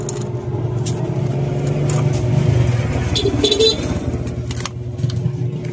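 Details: Kawasaki Fury motorcycle idling: fast metallic jangling rattle over its low running note from a loose timing chain; owner suspects the timing chain tensioner needs adjustment or has failed.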